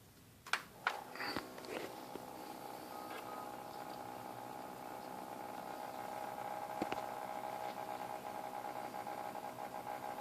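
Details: Defective XSPC X20 750 water-cooling pump/radiator combo, later replaced under claim: a steady, buzzy whir with a ringing mid-pitched tone, noisier than a healthy pump; abnormal pump noise.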